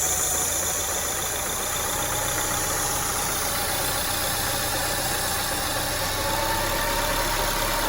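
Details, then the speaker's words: 2002 Acura RSX Type S, K20 engine, warm, with IACV port plugged by finger: surging stops, idle possibly drops to about 500 rpm, then slowly firms as more air is let in, faint uneven pulse; IACV stuck, replaced. Idle rising with more air. "I'm just letting my finger off a little bit at a time because there's probably a certain amount that probably went down to like 500 RPM or so I'm just letting a little more air in at a time"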